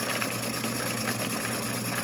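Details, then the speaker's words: Home-built rock tumbler running a barrel of lace agates with 60/90 grit, compared with a much quieter used Thumler's Tumbler: constant loud droning hum with a low buzz and rattly hiss; noisy, cause unclear, owner plans rebuilding it. "it is a hell of a lot quieter than the one I built I'll go ahead and plug that one in you can hear the difference"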